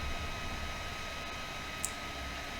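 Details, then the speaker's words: Old, freshly reconditioned Packard Bell ST85M laptop, hot to the touch: loud steady rushing hiss with a thin constant whine as the cooling fan runs constantly at full speed from overheating. "dans cette vidéo nous allons voir comment on règle un problème de ventilation euh qui est en surchauffe donc là vous entendez le bruit que fait cet"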